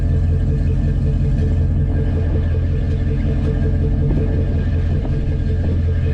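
Deep, even low rumble with a steady beat, no ticks, knocks or misses; this V8 is idling smoothly and healthy.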